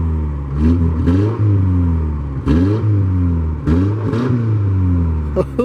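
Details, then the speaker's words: 1989 Ford Mustang 2.3 L inline-4, first start after about 9 years unused: even idle with clean throttle blips, no misses or knocks; it must be held off idle or it idles too low. "she sounds good okay well let's shut our aak off yeah we got to kind of keep it idling cuz it'll idle way too low"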